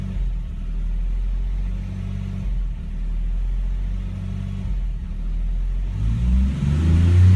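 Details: Nissan G35 with a P0345 code: slow rhythmic cranking for about six seconds before the engine catches and revs up; a hard start, cause not confirmed.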